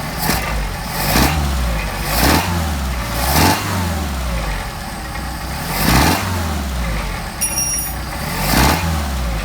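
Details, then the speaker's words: Mercedes 190SL with Solex carburetors after balancing and idle mixture adjustment, linkage connected: engine idles, quick throttle blips rise and fall cleanly with no popping or backfire; clean throttle response. "Got a nice response. Let's go over here to the idle, see what we got for an idle."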